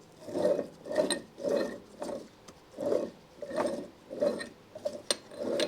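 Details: Yamaha HS1 90cc twin engine, disassembled, engine full of water and mud: gritty uneven rasping grind each time the crankshaft bearings are spun by hand; badly worn, contaminated crankshaft bearings causing the engine noise.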